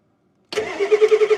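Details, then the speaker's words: 1989 Ford F250, 7.3L IDI diesel, first start after sitting 6 years, on a cold winter day: it fires after cranking and chugs unevenly, then weakens and dies. It catches but won't keep running; air in the fuel lines is suspected. "uh-oh it sounded good for a minute there well Something's Happened we've either got a lot more air into the fuel lines or something"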